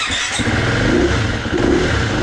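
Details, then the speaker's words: 2019 Husqvarna FE350 after long storage and an oil service, stone cold: light throttle blips sound uneven and stumbling, missing and struggling to hold revs before dying within a minute; it also bogs when ridden; cause suspected, not confirmed. "You shouldn't have to rev it up at all. I won't be able to keep it running here. It's just gonna die. You hear it missing, there it goes, and it just dies."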